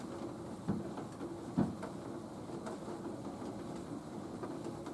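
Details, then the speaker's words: Nautilus U614/U616 exercise bike: quiet pedalling with dull thumps about a second apart, every other cycle when the foot relaxes, worsening then fading. Gone under hard pedal pressure. Loose pedal crank. "it seems to get much worse. The longer you pedal, the longer I pedal, the worse it gets, and then it starts to disappear, and then it comes back,"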